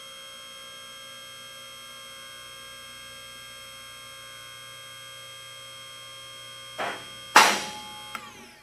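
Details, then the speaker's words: Advantage Legacy 4-post car lift on its first run to the top before adjustment: steady electric pump hum with staggered clacks as the post locks pass each catch hole, not clicking together because the locks aren't yet adjusted in sync. "You'll hear the locks clicking as it's going up through each one of the holes. At this point, we have not adjusted them, so they're not clicking all at the same time."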